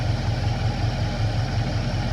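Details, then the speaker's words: Normal idle of a factory-ordered 1970 Chevrolet C10 small block after a new timing chain: deep, even low rumble at about 700 rpm, no tapping, timing set at six degrees, running perfectly. "okay so this set this thing with the new time and chain it it sounds really awesome i mean there's no engine noise i mean it's running perfectly it's at 700 rpm basically"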